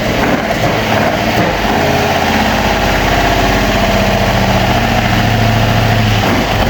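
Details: Opel Manta hatchback with Ascona front end, first start after about 20 years sitting, camera at the front; uneven, stumbling run with irregular lumps in the exhaust note, a little missy: misfire at idle, cause unconfirmed.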